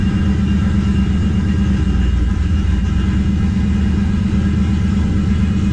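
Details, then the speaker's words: 1969 Plymouth Valiant, turbo 360 Magnum, TF727, narrowed 9.25 Chrysler rear with 3.55 gears, after pitted pinion bearings replaced and crush sleeve eliminator fitted: in gear, wheels turning, steady low rumble, no whine or growl; rear end quiet. "quiet it's quiet wheels turning dead quiet we are good no rear end noise just feel fun good to go no noise"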